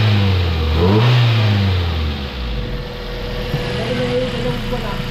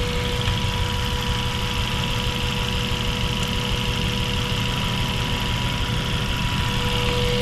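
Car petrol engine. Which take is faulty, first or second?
second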